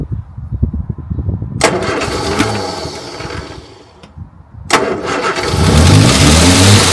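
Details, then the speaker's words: Morris Minor 1000 after a long break, spark plugs just done, battery boosted: slow cranking, pauses and repeated tries before it stumbles and catches into a rough idle, hard starting; cause not confirmed. "Come on, gal. Well, nearly. She is trying."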